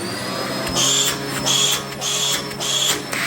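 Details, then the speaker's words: Dyson DC04 upright vacuum with hose end blocked by hand: loud hiss and shrill whistle pulsing about every 0.75 s as the suction relief valve opens against the blockage. "And it makes quite a noise as well. That's when you block the end of the hose with your hand, or any blockages in the machine even."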